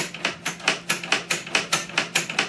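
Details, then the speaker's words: Craftsman 13.5/27 snow blower power steering mechanism pulled by hand: the ungreased side gives a sharp, rapid clatter of about four to five clacks a second, while the freshly lubricated side is nearly silent. "hear how loud that is now let's try this side hardly any noise so a little bit of lubricant goes a long way for these power steering mechanisms on these snow blowers"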